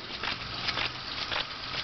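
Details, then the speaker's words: WarP 9 electric motor from Dodge Daytona EV, removed from car, tail shaft turned by hand: irregular gritty crunches and scrapes; debris and chunks inside, possibly brush pieces or balancing clay, though motor spins reasonably freely. "so what we're going to do is spin the motor just by hand now that we can really get some more torque on then just try to spin the tail shaft so so as you can hear there are bad crunching noises"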